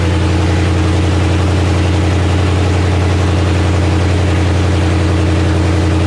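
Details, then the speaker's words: 1984 Fox-body Mustang with a Gen II Coyote V8 and 6R80 transmission from a 2017 Mustang GT, cold start, run without coolant: a deep, even, steady burble at idle with no knocks or misses. A healthy cold-start idle. "Coyote cold start."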